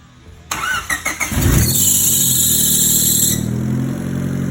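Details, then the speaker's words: Turbo Honda Civic after replacing exhaust downpipe gasket and refitting the O2 sensor: a few cranking pulses, fires and settles to steady idle with no puffing or ticking; exhaust now exits only at the rear, leak fixed. "ooh bad sounds like we have exhaust going out in the rear of the car again which is good"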